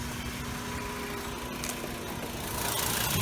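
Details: 2010 Volkswagen Jetta SportWagen 2.5 SE, 2.5-litre five-cylinder, at a 5,000-mile update: quiet, even idle with a soft steady pulse, no knocks or ticks, faint belt whine behind it; healthy engine.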